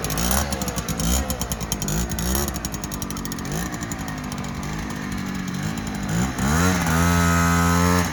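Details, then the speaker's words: 1959 NSU Quickly 50cc two-stroke chopper moped, owner worried it may run a bit lean: buzzy blips up and down, then a clean climb to sustained high revs without bogging; pulls strongly. "it is a pocket rocket over actually quite nicely yeah that's it"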